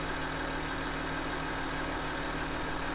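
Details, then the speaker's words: Land Rover Discovery 3 air suspension compressor filling a newly replaced reservoir, pressure near 1500 (old leaking tank reached only about 300), compressor getting warm; steady electric hum, mid-pitched drone, no hiss of escaping air; normal, no leaks. "You can hear the compressor running. I can't hear any leaks."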